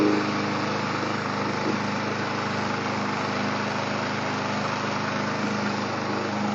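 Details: Push mower that would only start on starting fluid (fault found not to be fuel), running after repair: smooth, even engine hum holding steady speed with no sputter or surging; running healthy.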